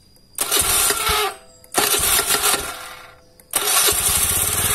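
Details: Carbureted Honda Beat scooter after starter repair (starter motor cleaned, ground cable tightened), previously heavy cranking with clicking: three quick starter presses, each catching at once into a crisp, even idle; normal electric start.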